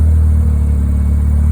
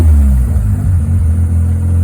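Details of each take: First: Mazda 13B rotary in a Willys Jeep with FiTech EFI, after retune adding fuel (fast accel 50, accel pump 29) for tip-in stumble; deep rotary burble after a blip shows a little bobble, then settles to even idle without hunting, normal. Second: 13B rotary engine in Willys Jeep with FiTech EFI; burbling idle then two throttle blips that hang before picking up, stumbles on tip-in and takeoff; owner plans accelerator pump tuning; tip-in stumble from lean mixture on acceleration.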